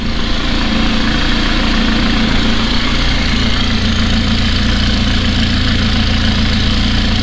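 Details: 2018 McLaren 570S V8 idling with a deep, slightly uneven pulse and a misfire code. Live data shows the intake cam actual position fluctuating and 3 degrees off versus another car; a faulty cam phaser is upsetting valve timing.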